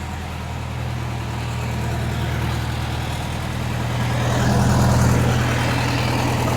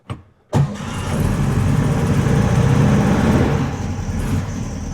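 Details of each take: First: 1961 VW Beetle after timing, tune-up and adjustable pushrod tubes, hot start with no gas: steady even idle with a smooth low beat about four per second, sitting a touch fast. The timing is good but the idle is set slightly high, about to be lowered. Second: 1961 VW Beetle after timing, tune-up and adjustable pushrod tubes, morning cold start: a quick crank, then it catches at once and holds a fast even choke idle that comes off high choke quickly. A healthy cold start.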